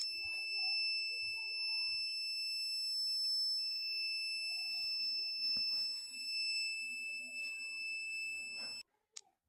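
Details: RO water purifier alarm: steady piercing electronic beep for about nine seconds, then stops; after servicing, possibly a pre-filter change, the beeping stopped and the unit restarted; cause not confirmed.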